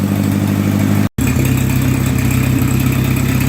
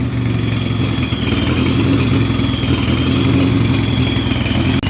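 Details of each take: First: Oliver 550 gas tractor after wiring, clutch safety switch, alternator and ignition repairs: an even, steady idle with a low thump about twice a second, no hunting or hissing, as the vacuum leak appears fixed. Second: 1958 Oliver 550 gas tractor after valve adjustment and distributor check, starts right up but idles uneven and lumpy with faint whistle; smooths out when WD-40 sprayed at port; rough running from intake manifold-to-head vacuum leak.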